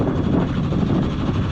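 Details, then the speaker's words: Sailboat's inboard diesel working again after an essential repair, motoring out of the marina: low steady rumble with wind on the mic, even firing, no knocks or misses. Normal running. "Do you hear that? That is the sweet, sweet sound of the engine. It works again. Woohoo!"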